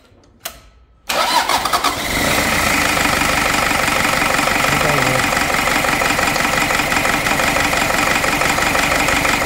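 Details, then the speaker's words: Toyota Surf 2L-TE 2.4 diesel after full engine rebuild, first start with glow plugs powered, no coolant yet: catches after a second, then hard, rapid, even clatter at idle; harsh diesel note expected to quiet once all injectors work. "Дауысы ащылау болып тұр. Қазір шамалы жұмыс істесін, форсункілерін бәрі жұмыс істегеннен кейін дауысы басылады."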